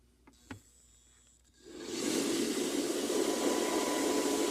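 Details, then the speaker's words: CPAP blower after its cracked impeller disc was replaced with a 3D-printed press-fit impeller, first power-up: quiet, then spools up within a second to a steady airy rush, no rattle or wobble; seems well balanced. "look at that i think it's even balanced well"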